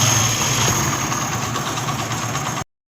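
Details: Honda CD 70 after timing chain set replacement: small single putters evenly at idle with no chain rattle or clatter before it cuts off; sounds healthy, normal idle.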